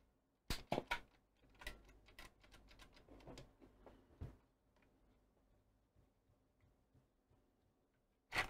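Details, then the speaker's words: Coomber 393 language-teaching cassette recorder bought as not working: burst of sharp clicks and clunks, near silence, then a final clunk as the deck mechanism locks in the jammed play position again, apparently a common fault. Cassette mechanism jamming. "right so yes it just got itself in that jammed position once more"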